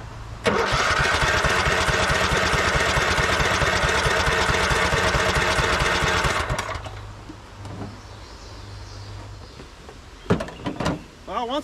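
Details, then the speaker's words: 2004 Craftsman LT1000 riding mower, Kohler Command Pro 16 single-cylinder, after swapping in a bench voltage rectifier: cranks hard and sputters about six seconds but never catches. Fuel starvation; cranks but won't run. "run but it doesn't have any fuel it's not getting any fuel"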